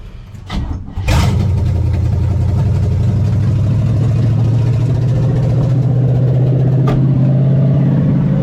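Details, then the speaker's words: 1975 Chevy Nova 350 four-speed, sitting since 1987, now running off the tank with new fuel lines, alternator not working: after start, low idle lopes with uneven beats about four a second; misfire, cause unconfirmed. "have a bit of a misfire about good"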